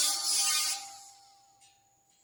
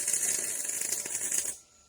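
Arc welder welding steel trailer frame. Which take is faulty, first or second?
first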